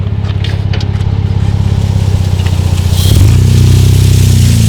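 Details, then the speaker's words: Jeep Wrangler JK Rubicon, manual, 38-inch tires on stock 4.10 gears, climbing hill in 4-high first gear at light throttle: low labouring thrum, chuffs slowing and dragging; engine bogging, not enough RPM from too-tall gearing. "So you could hear that, guys. It was bogging down, not enough RPM. You would have to use a whole lot more throttle than that."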